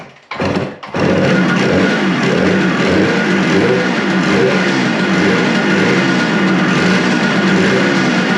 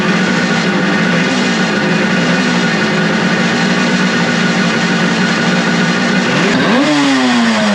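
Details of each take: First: Suzuki two-stroke motorcycle after a second carburetor cleaning, started on choke with fuel leaking: it settles to an uneven, lumpy, low rough idle; the owner suspects the throttle adjustments are set too low. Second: Suzuki two-stroke motorcycle after carburetor cleaning, with the vacuum-petcock port covered to stop a vacuum leak, points unadjusted, premix in tank: crisp, even buzz holds steady, then rises cleanly as the throttle opens; running properly.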